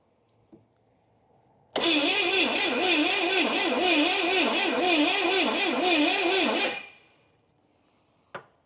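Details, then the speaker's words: 1969 Pontiac GTO, engine apparently a Pontiac 350, after about 35 years sitting. Distributor timing being adjusted, brake clean sprayed. Starter whirs steadily about five seconds, wavering pitch, never catches. Owner suspects fuel starvation or timing way off. "So I felt like I heard just a little bit of a giddy up. This thing might just be super thirsty. Or it's way out of timing."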